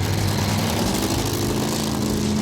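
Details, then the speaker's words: Roots-blown Ford Thunderbird driven in about 20°F winter cold. The engine runs lumpy and uneven under a steady drone, as if one cylinder is dropping out, and is called "already missing" and running terrible: an engine misfire with unknown cause. "the engine might be falling out oh this thing runs terrible"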